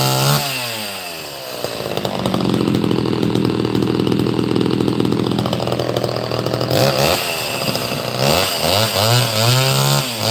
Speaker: It finally ran on live also. Look at that. It actually sounds pretty good.